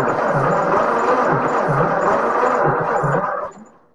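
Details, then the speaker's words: 1944 Ford 2N tractor engine cranking fast and light at about three beats a second with little chuff or resistance; low compression on all cylinders, still low after an ATF soak; leaking valves suspected, valves to be checked next. "so we have low compression on all the cylinders add a little ATF to them let them soak let's see how it did"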